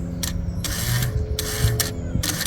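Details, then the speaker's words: New-old-stock genuine AC Delco GM fuel pump for a 1979 Cadillac Seville fuel injection, bench-tested by wiring directly to power: quick whirring buzz in short bursts, pump turns freely; normal fuel pump operation. "That's working, that's turning, but I don't want to run it too long with that fuel in it because that'll burn the pump out."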